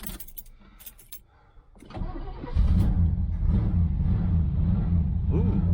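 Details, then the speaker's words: Abandoned 1977 Chevy Malibu Classic, first start after purchase, possibly low on fuel: keys rattle, the engine cranks briefly and catches at once, then settles into a strong, steady low idle with no misses; normal cold start. "started right up [Applause] oh it sounds good"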